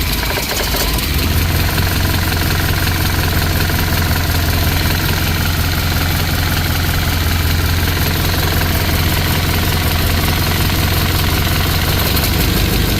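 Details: 1963 Chevy Impala small-block V8 being started during valve lash adjustment: a fast, light ticking keeping pace with a steady idle, from excessive valve lash; afterwards slightly quieter, with a leaking valve cover blamed for most of the noise.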